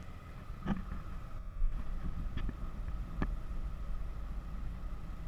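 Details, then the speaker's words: 2006 Dodge Stratus A/C blower after the motor was replaced to cure a high-pitched noise. On the highest speed (4), there is a steady, even rush of air with no rattle, squeal or scrape; the noise is gone and the blower runs normally. "the motor is working fine except we don't have that noise as you can see the motor is all the way to four number four motor is on high and we don't have the noise the noise gone"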